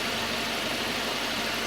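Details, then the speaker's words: 2.0 Citroën C4 idling after cylinder head repair. Steady, even hiss-like idle with no knocks or ticks; the engine settles and runs quietly. "é só faltava esses dois o bichinho tá funcionando serenim"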